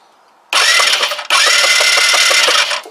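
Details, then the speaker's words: Kymco Agility 125 scooter with no spark, cranked with a temporarily connected spare coil of unknown condition: two bursts of pulsing starter cranking, never fires; still no spark, so the coil is probably not the problem. "like nope said i don't really know if this coil is any good so potentially then the problem is not the coil"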